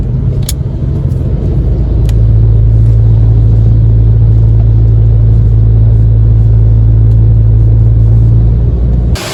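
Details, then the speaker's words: 2014 Honda Ridgeline Sport 4x4 heard from under the truck near rear differential while running: steady low hum and heavy droning rumble with driveshaft rattle; rear U-joint on rear driveshaft found bad, non-serviceable, whole driveshaft replaced. "So, we need to check out the U-jints. You can kind of hear the drive shaft rattling a little bit."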